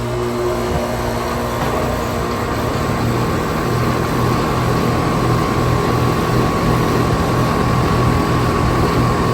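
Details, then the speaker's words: 2017 Carrier air conditioner condenser with replaced fan motor: steady even hum, smooth low drone and constant airy fan whoosh with scroll compressor sound, no knocks or rattles; normal running. "Here's the 2024 Lennox Elite next door running. Also has an amazing scroll sound. I bet this one probably will have an awesome scroll sound."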